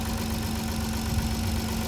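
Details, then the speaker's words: Kia Carnival 2.7 LPG at idle with a dull hollow knock that gets louder when an ignition coil is pulled, confirming piston slap rather than tappet noise. Piston replacement is judged about 80% likely and engine boring about 20%. "자 널 때 소리가 커집니다 그렇죠 이게 바로 스턴 플리 도리입니다"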